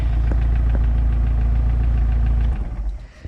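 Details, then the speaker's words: MerCruiser boat engine restarted after Pertronix 1146A electronic ignition and 3-ohm coil install: instant start, steady even low idle about four beats per second, no misses, clean shutdown; healthy normal idle. "let's start it again all right yeah i like that that's that's nice and smooth and instant start"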